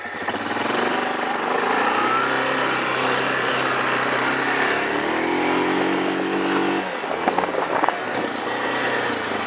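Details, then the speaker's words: Machine bought at a yard sale, with automatic transmission, ridden outdoors: engine revs cleanly, holds a steady smooth note pulling away, then eases off; found not actually broken, normal running. "yeah this thing is fine there's nothing wrong with this I like this thing with the automatic it's nice you'll have to shift or anything all you gotta do is hit the gas"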